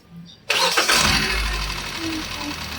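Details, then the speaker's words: Hyundai Accent with check engine light, idle misfire, noise and stalling while driving: rough uneven idle with fast ticking and a whistle; suspected poor oil delivery or misfire with valvetrain tick, not confirmed. "Palyado pa rin yung ingay niya. Parang hindi bumobomba yung langis. Tapos meron siyang lagapak at yung dinuro taas baba ah. Gumaganon. Meron siyang lumalagtik na merong sumisipol."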